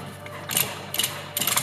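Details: Used Yamaha Venture Multi Purpose snowmobile checked before purchase: sharp metallic rattling bursts roughly every half second from the CVT variator/drive clutch, sometimes at start-off, attributed to worn variator bushings and rubber parts.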